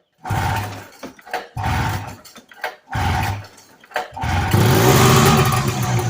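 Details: 1980 Arctic Cat Jag 3000 fan-cooled two-stroke snowmobile that sat for years, first start on choke with raw gas mixed with oil: catches and revs in crisp bursts, then holds a steady, healthy roar.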